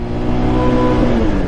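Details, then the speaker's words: Bajaj Pulsar 150 BS6 at 51,324 km, kick-started with a dead battery, ridden through first, second and third gears: revs climb freely while the bike barely gains speed; clutch slip from worn clutch plates. "लेकिन यह यह pick up नहीं बना रही है तो यह इसकी प्रॉब्लम है जिसकी वजह से इसकी क्लच प्लेट खराब हो गई है और इसकी वजह से भी ऐसा हो रहा है दोस्तों"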